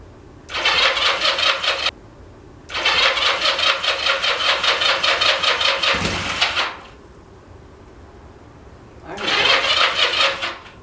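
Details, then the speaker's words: Craigslist motorcycle (Honda CM185/CM200T parts), new battery and plug, fuel on, choke, very cold day: bursts of fast, even cranking that never fire. It has power, fuel smell and apparently spark; the cause is unconfirmed. "the good news is the bike Powers up it turns over I can definitely smell a little fuel coming through the engine and it definitely sounds like I've got spark"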